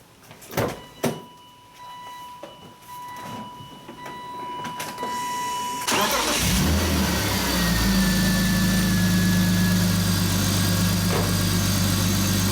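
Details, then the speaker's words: Supercharged BMW E36 M3 after replacing serpentine and A/C belts and both idler pulleys; starter turns briefly, engine fires and holds a smooth, steady idle, no squeal or chirp; normal start and idle. "Okay, yeah, it's running nice and true. Everything's nice and straight. If I heard an abnormal noise or something crazy, I would have shut it off right away."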